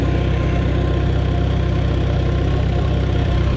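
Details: 1949 Farmall Super A tractor, driven slowly, timing not yet set, a loose spark plug found afterward: even, steady low chug about four beats a second, no misses or knocks. Healthy running engine.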